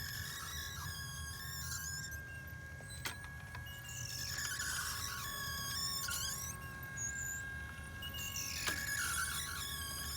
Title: New Champion Wheelie bird 2.0 clay thrower wobbler problems making noise, jerking loose upper rack.